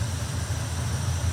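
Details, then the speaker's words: 1957 Chevy Nomad V8, timing pulled back from 38° to 34°, carburetor mixture screws uneven (rear half turn, front two turns) while adjusting: deep, lumpy idle with unsteady pulse, changing as screws set; uneven idle from mis-set mixture. "Notice how you can hear it starting to idle different?"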